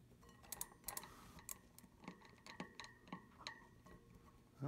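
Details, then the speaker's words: Juiced Bikes RipCurrent S fat e-bike, 3 months old, Shimano 9-speed cassette: irregular sharp clicks once or twice per crank rotation over a faint tone, felt in pedals; play suspected in the bearings or freehub; replacing rear wheel fixed it. "yeah it's a weird grinding sound but that makes a big click with every rotation of the of the crank set"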